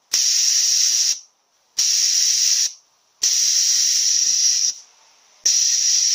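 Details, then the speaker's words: A340 automatic transmission solenoid bench-tested with 70 psi air at 10.4 volts: four clean bursts of sharp air hiss, each starting and stopping crisply with power. The solenoid is normally closed and opens when energized, which is normal operation. "Can hear that leak opening when we put power to it. So this solenoid is actually normally closed. And when we put the power to it, it opens."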